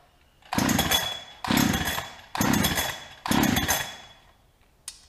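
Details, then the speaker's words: New Holzfforma 372XP chainsaw, first start attempts on choke with decompression: four quick cord pulls, each with a faint pop that dies straight away; hard starting, choke and throttle work, owner wonders about spark. "all right i got a screaming headache why won't you start choke works throttle works"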